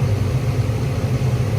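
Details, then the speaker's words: Attic gas furnace after repair of the only-one-burner-lighting fault, with gas pressure adjusted and cycled repeatedly. A smooth, even low roar with no pops, surges or dropouts; all burners lit and steady. "So I've turned it on a bunch of times. Everything seems to be good. As you can see, it lights up normally now."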